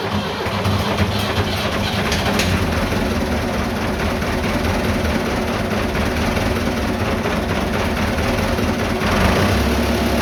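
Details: Vintage diesel tractor (the "77") that wouldn't start after sitting two days; tank found empty, diesel added and lift pump primed. Now running with a deep, even rumble at steady speed, no misses or knocks. Healthy.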